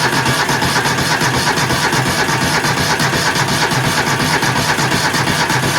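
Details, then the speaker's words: 20 hp engine with a dead battery, jumped with an EverStart 1000 A jump pack: steady, strong cranking about three beats per second, but the engine never catches. "Well, she's cranking good, but she don't want to start."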